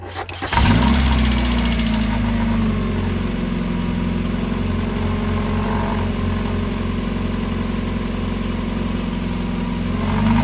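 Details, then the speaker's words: 1990 Miata with high, fluctuating idle that rev up and down: short crank, catches and settles into a fairly even idle with slight wavering; starts normal before the surging sets in after running a while. "There she goes. It starts out normal, and then after it runs for a little bit, it'll start idling up and down."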